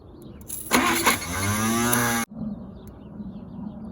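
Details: 1950 Packard barn find, unrun about 40 years, with gas poured into the carburetor: about a second and a half of labored cranking that stops abruptly without the engine catching. Cranks but no start; cause not confirmed.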